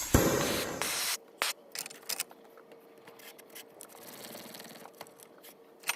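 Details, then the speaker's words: 1948 Major 236 lantern, bought disassembled: strong hiss of pressure escaping back through the pump check valve as soon as the thumb leaves the pump, already blew a hole in the mantle; check valve stuck open. "check valve is leaking really bad losing a lot of pressure on the check valve before I close it already blowed a hole in that mantle"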